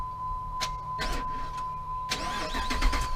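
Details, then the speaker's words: 2005 Jeep Grand Cherokee with click-no-crank problem, ignition off, relay removed and its two terminals shorted: short bursts of steady starter whirr each press, confirming starter and solenoid are good; normal starter cranking. "Now, it's off right now. No dash lights at all, but look, watch. When I push this, you're going to hear the starter start."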